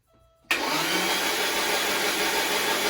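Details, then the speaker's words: 1987 Porsche 924S cranking after timing belt work with top dead center aligned: the starter spins with an even, hollow whir, no compression chuffs and no firing. Owner suspects valves were destroyed when the cam tower was installed incorrectly and plans to pull the head. "bad news is as you could hear still the hollow turning over sound sounds like I'm gonna have to pull the head"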